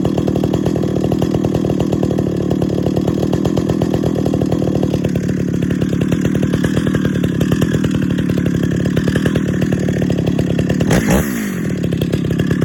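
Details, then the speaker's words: 50-year-old chainsaw, first start after full rebuild, idling steadily with a light metallic tinging rattle from the muffler, believed to be a loose internal baffle; not replaced. "the muffler you can hear that rattle that tinging sound that's the baffle i believe inside the muffler"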